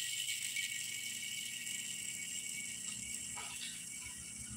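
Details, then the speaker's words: Honda Beat left crankshaft main bearing, cleaned of oil and turned by hand dry: a gritty, uneven rattling tick with no smooth roll; rough and worn out, to be replaced. "begitu olinya dibersihkan Suaranya Baru jelas ya Kalau tadi tertutup sama suara oli Jadi laharnya udah nggak mulus teman-teman"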